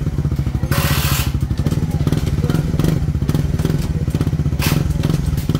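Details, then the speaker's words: Motorcycle engine reassembled after a screw got inside it, clutch pressure plate replaced: steady, even low putter with no rattle or clatter and some handling bumps; now quiet and running smoothly. "Tahimik na. Ha? Tahimik?"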